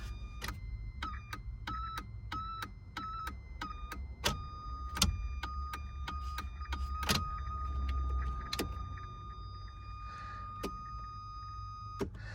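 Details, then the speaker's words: Ford Fiesta Mk3: a steady high-pitched whine with scattered clicks when the headlights are switched on. Commenters suggested relays, and a new relay was bought. The problem was ultimately solved by yanking on things, cause unconfirmed. "Right, so update video on the annoying sound that my car now makes. I will refresh your memories on the sound."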